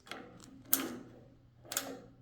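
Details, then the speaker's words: Budget two-post car lift, relocated safety bar limit switch touched: a few sharp, light clicks, crisp and clean; the switch stops the lift from rising further and works normally. "you can hear that click. And that is going to shut off the lift from continuing to lift up."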